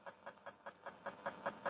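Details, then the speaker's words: 1950s New Zealand Clipper 5M4 valve radio tuned between stations: steady ticking pulses about five a second under faint hiss; interference from a gas hot water heater's electronics panel in the house. "That comes from my Reni my Rena hot water gas um electronics panel inside the house. That's what that noise is. Bloody annoying at times too."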